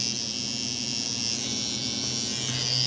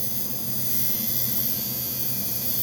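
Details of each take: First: Cheap coil tattoo machine with a nine round shader, tuned to 119 CPS at 48% duty on 7.4 V, then run at 7 V, with a shorter front spring replacing the 1.75 springs; fast, even high buzz with no stumbling, running cleanly. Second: Cheap $7 Chinese coil tattoo liner with the needle now added, buzzing steadily but slowed by the needle's drag to 97 cycles per second at 45% duty.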